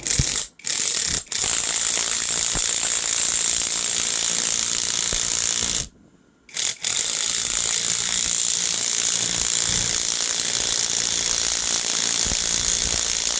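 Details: Fast, steady hammering rattle with two brief pauses from a 1200 W One Van impact wrench (claimed 1,200 ft-lb), stock settings, straight from the box. It is pressing a wheel hub bearing into a right passenger steering knuckle under load and working fine.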